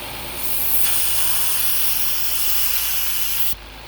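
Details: 2016 Nissan Maxima with P0171/P0174 lean codes, engine running: loud steady airy hiss starting and stopping suddenly as a crankcase vent hose is opened; vacuum leak causing lean condition.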